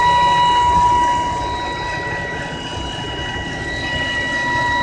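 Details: 2010 BMW E90 325i engine with a steady thin high whine; intermittent, goes away after switching the engine off and restarting but returns next day; cause not pinned down.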